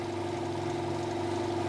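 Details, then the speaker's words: 200 L 3 hp single-phase compressor, warm oil, thicker belt fitted after earlier slowdowns thought to be a slipping belt. Even, unbroken motor and pump hum with no stalling or surging while the electric motor spins constantly: building pressure normally. "and uh yeah I mean the the the the actual electric motor was constantly spinning which is a good thing because it means because the electric motor is what spins this"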